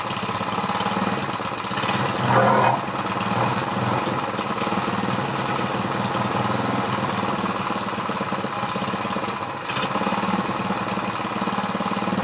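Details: Dead lawnmower Briggs vertical engine converted to horizontal with an oil splasher; valves lapped and adjusted to about 60 psi compression. First run, leaking oil and from the carburetor: it idles unevenly with a lumpy, irregular beat from low compression.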